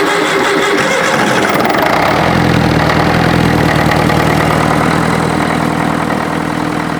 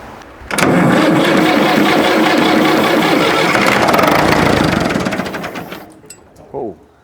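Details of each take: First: International Harvester 554 diesel tractor after about five years sitting, started on ether without bleeding: catches within two seconds into steady, even idle, running clean, starting to smoke a bit; air filter cover off so induction noise audible. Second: International Harvester 554 diesel tractor, left outside about five years, air filter off: cranking catches on ether into a few seconds of rough, fast firing then dies; apparently it's addicted to starting fluid and won't start without it.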